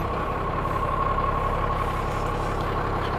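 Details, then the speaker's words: Cummins-engined Land Rover 130 on its first drive after fitting a P38 steering box conversion: a constant, even diesel drone under light driving with the compressor running, no knocks or misses. Oil pressure is good; it sounds healthy. "Love that sound. There goes the compressor. Oh, I've missed that sound."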